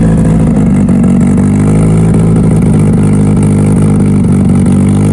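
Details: Mitsubishi Evo before dyno prep, cold engine, first start of the day after installing both fuel pumps as the fix; steady, even drone at fast idle with no misses or knocks. Normal cold idle after fuel pump repair.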